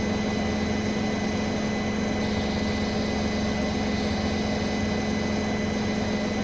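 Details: Brand-new Bosch Serie 4 WAN28281GB washing machine, balanced final spin, seal clear of drum: steady high squeal over even drum hum, constant pitch; owner wonders about bearings or EcoSilence drive belt, earlier suspected suspension, cause unconfirmed.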